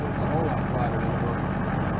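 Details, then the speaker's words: 2004 Ford F350 6.0 diesel, EGR delete, after Turbo Maxx additive: steady low idle with only faint soft ticking; piston knock/ping reduced, expected to quiet further as additive works; cause suspected, unconfirmed. "So you'll notice that it'll get quieter than that even yet because that ping will start to go away and it's your piston. It's your knock and that'll be because of the fuel additive."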